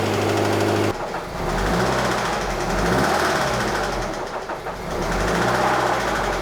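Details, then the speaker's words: Scion FR-S with rod knock, run after a partial top-up with 0W-20 oil: rough, labouring run with heavy uneven slapping and knocking deep in the block and a lot of internal friction; failed rod bearing, engine barely wants to run. "That's a lot of friction. That is a lot of friction in the engine. That does not want to run."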